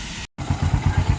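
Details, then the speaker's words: Honda CT125 motorcycle idling after the clutch housing and driving/pinion gear were replaced: even steady low thumping at about eight beats a second, no knocks or rattles. It is back to normal. "O yan na mga lodi oh. Balik na po sa dati. Ano idol? Balik na sa dati na ba? Ayan, balik na sa dati mga lodi oh."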